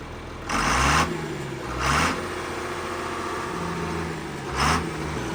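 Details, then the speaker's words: John Deere 4850 tractor diesel that was smoking and losing power, after the injectors were fixed and the fuel lines bled: even idle with three brief throttle blips that rise and settle cleanly, no miss or knock; normal again. "And it sounds like the John Deere again. Yeah, that's what I noticed as soon as she popped off. It sounded normal."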